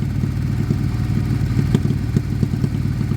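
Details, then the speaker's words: Abandoned Suzuki Bandit being restored, with a Blue Flame Duro exhaust, warming up after long sitting: deep, even idle with a steady low pulse and no hunting. The owner suspects it needs new carbs, and idle fluctuation appears later as it heats up. "um although saying that it's not it doesn't seem to have that idle fluctuation does it it seems quite quite"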